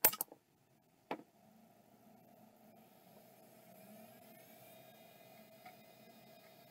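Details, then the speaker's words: Third of five Western Digital Caviar drives on test: a click, then a faint rising whir settling into a steady spin with no scraping or repeated clicking; spins up normally and seems good. "that one seems good"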